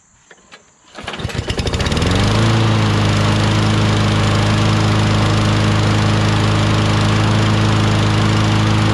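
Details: John Deere JS26 self-propelled mower, Briggs 6.75 Quantum engine, after refitting the original carburetor with the second carb's gasket, not leaking: a few pulls catch, then it settles into a steady, even run with no misses or surging.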